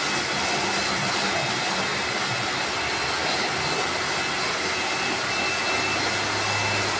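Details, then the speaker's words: Lakoni Laguna 70 pressure washer (70 bar) spraying: a loud, even hiss and whir, noisier than usual, which the owner attributes to its carbon-brush motor or possibly low inlet water pressure; not confirmed. "Okelah ya cukuplah ya suaranya juga cukup berisik karena ini masih pakai brush"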